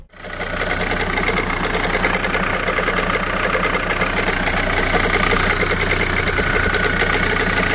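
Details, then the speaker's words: Renault Kangoo at 343,000 km, morning cold start: a loud idle with a fast, fairly regular metallic rattle of three or four ticks a second. The alternator overrunning clutch is suspected but not confirmed. "по утрам когда заводишь сейчас это послушаете"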